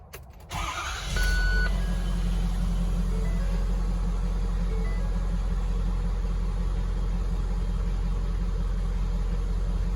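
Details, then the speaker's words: 2015 Ford 6.7 Powerstroke diesel, reassembled after a low oil pressure repair, about 52 psi on first start: it cranks, catches and settles into a deep, even idle with no knock or rattle; normal idle. "We got about 52 about 52 PSI. When I first started, so I guess it's going to be all right. It sounds good."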